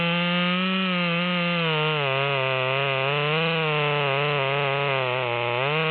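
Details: Modified Stihl MS200T with 25-inch bar buried in a large log after carburetor adjustment: high, steady scream holding pitch in the cut, dipping briefly then pulling back up; strong, healthy under load.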